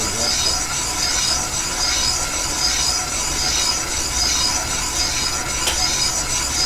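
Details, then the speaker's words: Minneapolis-Moline X231 prototype bolster casting line-bored with a flat-belt-lathe-driven boring bar, first roughing bit: even high-pitched cutting hiss, gentle pulse about once a second, no skips, cutting all the way around 360°; steady uninterrupted cut. "we're finally starting to cut all the way around 36 60° you hear it in the cutter you don't have that uh that skip that"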